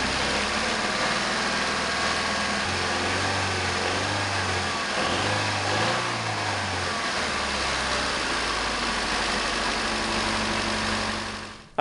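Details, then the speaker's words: 1988 Honda CRX Si first start after engine removal, timing belt and water pump replacement: smooth, even idle holding steady with only small gentle lifts in speed. Normal idle. "well the second first start is in the books that's the second first start"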